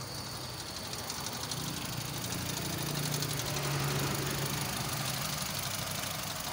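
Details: Honda City i-VTEC idle uneven, stumbling beat about three times a second; one cylinder misfiring from bad coil pack, coil pack changed.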